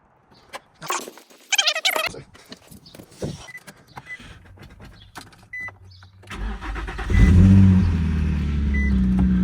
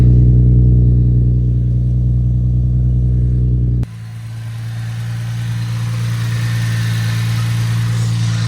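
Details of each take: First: Infiniti G35 VQ35DE V6 started after a coolant refill, before warm-up, running with no exhaust fitted. Cranks, catches, then settles into a harsh, very loud, raw idle roar. Engine running with no exhaust. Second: Infiniti G35 VQ35DE V6 after fixing the air intake and the exhaust (ISR headers, single-exit straight pipe). Deep, even exhaust burble with a steady low rumble and no misses or knocks. Normal idle.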